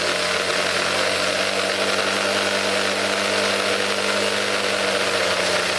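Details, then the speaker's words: Craftsman convertible 25cc two-stroke grass trimmer, cold start, first run since carburetor work, low on possibly stale fuel; loud buzzy drone holding one pitch without clean rise, smoking and dying out; fuel mixture very rich. "Fuel mixture is really rich and she smokes like a bitch. Yeah, she dies out because the gas is probably terrible."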